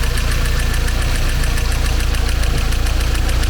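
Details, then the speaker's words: 1990 Mercedes-Benz 190E Evo 1 with Evo 2 kit (Cosworth engine); a light, regular tap about four times a second over the low idle rumble. The tapping has decreased a lot, and the engine is judged undamaged. "The noise even decreased, decreased a lot."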